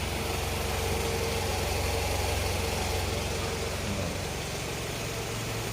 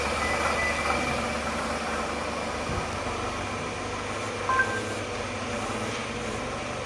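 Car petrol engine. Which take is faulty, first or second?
second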